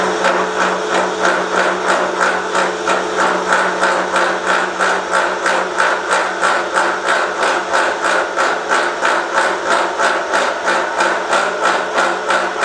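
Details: Milling a vee-block from dense old forklift-tine steel with carbide cutters, an angle cutter and coolant, taking 1 mm cuts: a steady cutting hum broken by sharp hits about three per second, louder as cuts deepen. Chatter from a cheap Chinese arbor's runout.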